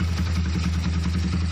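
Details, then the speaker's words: Honda Tiger motorcycle with a modified racing camshaft, idling: a steady, even low thump with no rough sound or ticking, smooth like a stock engine, a normal idle. "Ya seperti yang saya bilang tadi bahwa tidak ada suara kasar atau tidak terserah gelitik"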